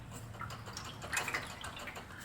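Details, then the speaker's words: 2017 Toyota Prius losing coolant with white smoke and overheating, no visible leak, misfire or codes; moving the exhaust muffler gives drips and sloshing, as it is full of coolant mixed with water from an internal leak. "This, guys, is full of coolant mixed with water. I believe the water which he lost which he added, is already made it all the way here."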